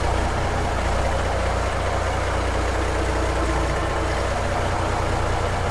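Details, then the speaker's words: 1970 Kaiser M-813 5-ton military truck, diesel, first start in over 10 years after sitting, new batteries installed, started with no throttle: deep, steady diesel rumble with no knocks, misses or surging; even, settled normal idle. "That son of a bee started right up, right now. Look at this baby."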